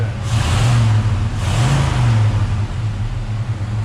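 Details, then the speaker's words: Engine with a Holley Sniper EFI, its IAC just set, warming up during diagnosis of overheating and a rotted radiator. Deep, steady note with two brief rev swells and a smooth return, no knocks or misses; runs well. "we'll see what this thing does I think it's running just perfect"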